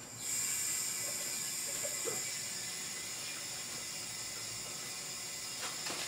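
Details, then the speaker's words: Empty automotive R134a A/C system being recharged after servicing from a disposable refrigerant cylinder via manifold gauges and tapping valve: steady sharp hiss with no pulsing, refrigerant flowing normally from can into system before flow stops at pressure equilibrium. "now you can hear that the refrigerant flow has stopped that's because the pressure in the cylinder here has reached equilibrium with the pressure in the system"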